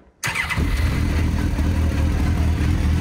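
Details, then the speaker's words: Renault Twingo swapped with GSX-R 1000 motorcycle engine, fuel-injected, catches immediately after brief crank and settles to steady low rumble once air box sensor reconnected; previously would not start. "le capteur d'air ah ouais ben je l' rebranché ça démaré direct"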